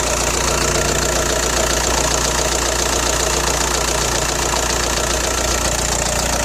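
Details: Audi A4 B6 1.9 TDI AWX at idle, noisy since injector O-rings and copper washers were replaced: hard regular metallic clatter about two beats a second; cold-start smoke gone but power seems down; rattle cause unknown.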